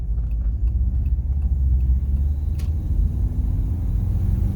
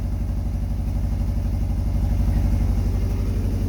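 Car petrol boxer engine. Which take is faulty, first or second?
second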